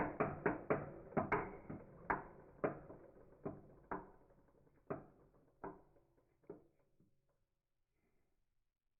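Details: Engine turned over slowly with rod but no piston fitted: single sharp knocks about once or twice a second that die away as it stops; possible rod knock or rod bearing play.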